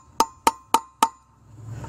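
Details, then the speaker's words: Boat trailer hub bearing replacement, final hammer taps on the race: four crisp evenly spaced taps, clean metallic ring, no dull rattle; sounded better, no gap visible, race fully seated. "a little bit more to go that sounded better okay checking to see if there's any gap and it does not look like there is"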